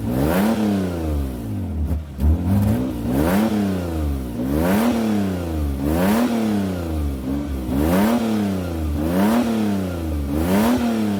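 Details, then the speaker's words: 2003 Mitsubishi Galant, throttle blips after exhaust repair: front section not yet clamped and might need welding, started to test. Repeated even revs rising and falling cleanly with no exhaust puffing or rattle; it works normally. "okay well it works"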